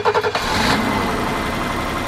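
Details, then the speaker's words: BMW E30 M20 petrol six, not run for about five years, restarted after fluid checks to warm up: starter spins briefly, catches almost immediately, smooth even idle; normal start and idle, owner suspects a minor exhaust leak. "wow what do you know it actually sounds pretty good sounds like an M20 [Music] sounds like it might have a bit of an exhaust leak but nothing major"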